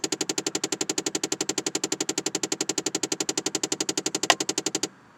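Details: 2009 Chevrolet Impala: sharp, even, machine-gun-fast electrical clicking at about eleven per second whenever the door is opened, stopping abruptly after about five seconds; the owner calls it a design flaw of this car, and the origin is unknown.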